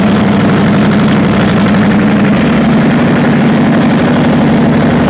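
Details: Perkins 4012 diesel after general overhaul with added pre-lubrication pump, before load testing: steady, even drone with constant low hum and no knocks or misses; running smoothly and healthy.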